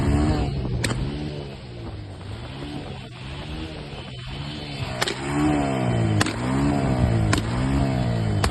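Engine runs with an uneven, wavering beat and sharp pops about once a second, the stumble of a misfiring cylinder.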